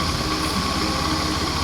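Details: Honda Scoopy FI scooter after repairing a CVT clutch whose linings had come loose (glued, not replaced); steady, even idle with the rear wheel no longer turning at idle, no slipping or dragging: clutch disengaging properly, normal idle.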